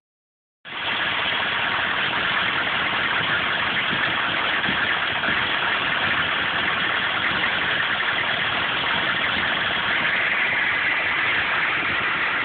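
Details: 1995 GMC K3500 6.5 turbo diesel, 78,000 miles: lumpy, uneven idle clatter. It misses at driving speed mostly under full load, dies when the throttle is released and is sometimes hard to start. Owner suspects the PMD or injection pump; several codes stored.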